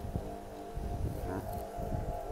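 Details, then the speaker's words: Water grinder running: steady, even motor hum with no knocks, rattles or grinding, only the fan's airflow sound from the housing; the motor runs smoothly and healthy. "Máy nó chạy rất là êm luôn anh không nghe tiếng động đâu Ở bên này này bên cái hộp này nó chạy nó tạo gió thôi"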